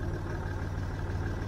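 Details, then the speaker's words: Land Rover Discovery 3 TDV6 diesel at 86 °C oil temperature, after switching to the correct Castrol Magnatec 5W-40 C3 oil, listened with an ear at the hood: steady, even idle with a low smooth hum; the earlier noise is gone. Normal idle. "You can hear actually how the crankshaft turns. Isn't that amazing?"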